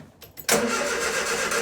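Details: Engine totally cold to the touch before starting; brief crank catches at once and settles into a steady, even idle with no misses or knocks; healthy cold start.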